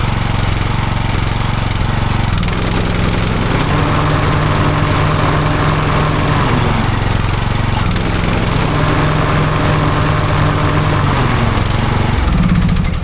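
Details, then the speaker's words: Lawn mower that had been sitting a while and was propped on one side. It was a bit hard to start, likely because the fuel had run back. It now runs with a loud, steady single-cylinder chug, blade noise and slight load swings, but no misfires. It seems fine, though it probably needs a service. "I had her kind of propped up to one side too, but when she did start then and eventually got her fuel, she seemed to be fine."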